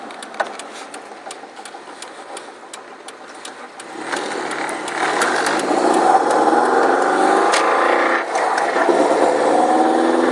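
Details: Car driving with sharp regular tapping about four per second at light throttle, buried under load; rod knock that developed over the weekend, replacement drivetrain already ordered.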